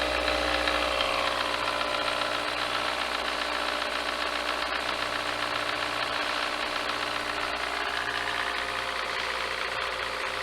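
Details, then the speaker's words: 2017 Hyundai Elantra at idle after CVVT, camshaft and timing chain replacement and oil/filter change, timing codes present: fast fairly steady tapping near four per second from the valvetrain/timing chain cover area, not bottom end. "Okay, so our noise is coming more or less on this area here, on the valvetrain, not like a bottom end noise."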